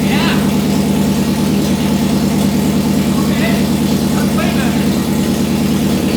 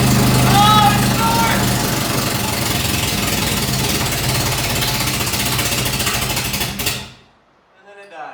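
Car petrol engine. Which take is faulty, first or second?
second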